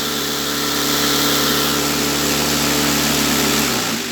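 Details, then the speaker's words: Homemade vibratory tumbler cleaning parts with sand media, hung on cords to absorb vibration: steady buzzing hum with constant media rattle at fixed speed, then winding down as it is switched off; normal operation, loud enough to need an isolated spot. "alors c'est vrai que faut vraiment le mettre dans un endroit où c'est un peu désagréable d'avoir à côté donc il faut le mettre dans un endroit peu isolé"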